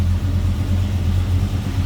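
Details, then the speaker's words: 1972 Chevrolet C10, rebuilt 350 V8, TH350 automatic, heard from the back before hood opened: deep, even burble with steady lope, no knocks or ticks; normal healthy idle. "all right slip around to the back and hear this run that's a good sound of truck listen to that"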